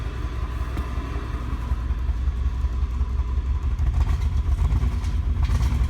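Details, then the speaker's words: 1988 Acura Legend, first start after sitting 10 years, with a used ECU, new fuel pump and old gas: uneven, lumpy low rumble that barely builds with throttle. Runs rough and won't rev; owner suspects old gas, with a fuel filter, cap, rotor and plug wires planned. "doesn 't thậm chí muốn rev lên nhiều"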